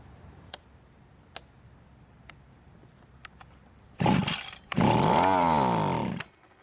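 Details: Cub Cadet commercial string trimmer, hard to start, run on mixed gas: sharp pull-cord snaps, short burst, uneven rising and falling buzz dying off; poor running from hardening carburetor metering diaphragm.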